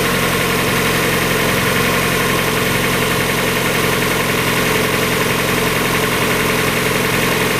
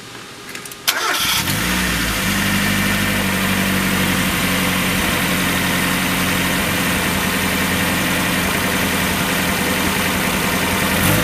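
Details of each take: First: 1994 Mazda Miata, about 56,000 miles, after new timing belt, water pump, radiator, thermostat, hoses and seals: smooth, even four-cylinder idle, no knocks or ticks; sounds healthy. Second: 1994 Mazda Miata first started after a timing belt job, before coolant and accessories were refitted. It settles into an uneven idle with an irregular stumble. Misfire traced to another vacuum leak.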